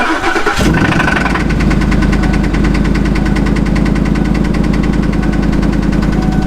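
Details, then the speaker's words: Truck at idle, running without miss and with good oil pressure: heavy fast rapping knock, several per second, seemingly from one side; owner first suspected a lifter, engine uses anti-lash followers instead. "Yeah, it's a hell of a knock, huh? Truck runs perfectly, doesn't have a miss. Oil pressure, perfect. Sounds like it's coming from this side."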